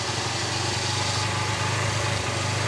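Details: Honda Unicorn 150 BS4 after repair of its idling and pickup problems, air filter refitted: a steady, even single-cylinder putter at idle with no misses, knocks or hunting. Normal idle.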